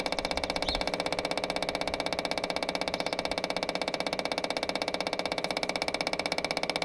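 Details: Branson 4720i diesel tractor, spring service with new 3263 fuel filter: steady, even ticking about four per second, engine off, as the electric fuel pump primes the filter; normal.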